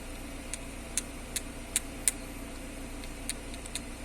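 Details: Jeep Renegade steering column, already rebushed and repaired yet still noisy with more play: sharp irregular clicks and clunks, about seven in four seconds, over a quiet engine hum; noise stops when the column is held; cause suspected, not confirmed.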